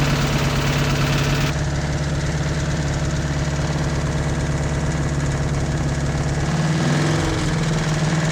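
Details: 1986 Toyota MR2 AW11 engine from a salvage-yard parts car, idling after the last vacuum leak was fixed; steady idle with an irregular low knocking about three a second. Owner says it sounds like rod knock, not confirmed.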